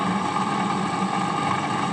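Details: HP 8901B modulation analyzer cooling fan, measured with an RTA: even whirring hum with a steady mid-pitched whine and no speed change; a noisy, rough-running cooling fan.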